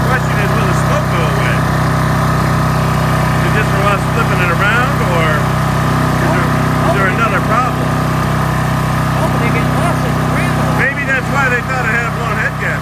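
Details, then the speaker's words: Briggs & Stratton 8.75 engine off a Toro Timemaster, test run after reassembly following a bad governor: a steady, even single-cylinder beat at constant speed with no knocks or misses and a little smoke. Running normally. "this is the test run after we put everything back together so give it a pull Darren little smoking"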